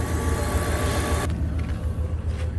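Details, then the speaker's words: 2nd-gen Dodge Ram after replacing a bad idle air control valve that caused rough idle and stalling: a low, steady idle with no hunting, now about 700 rpm versus 1,000–1,200 before. Normal idle. "now as you can see it fixed the RPM at first it was running a little over 1,000 1100 1200 now it's down to like I would say 7 maybe"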